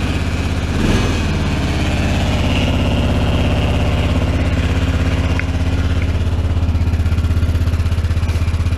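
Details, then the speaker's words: Carbureted quad (Honda Rincon) on cold start at 14°F: uneven, stumbling chuff at about three beats a second; rough cold running, with past history of stalling unless wide open. "it runs shocking to me i probably need to take it out and run it because i was having some issues with it last year"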